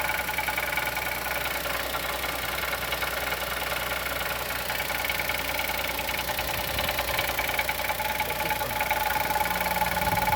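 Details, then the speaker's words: 2020 Chevrolet Onix naturally aspirated, first cold start of morning, idling with brake pressed: sharp quick tapping knock about three per second; owner suspects piston pin or valve lifter; unconfirmed. "Olha o barulho do motor batendo. Pisa no freio. Olha o barulho como bate, pisando no freio."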